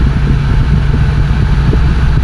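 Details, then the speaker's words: 2008 BMW X3 (E83), vibration after extensive repairs, held in third gear under acceleration: heavy low drone and rumble, strong driveline vibration confirmed coming from rear differential; transfer case replacement had been advised. "Let's go to electronic third gear and then I will accelerate. That's a much stronger vibration now."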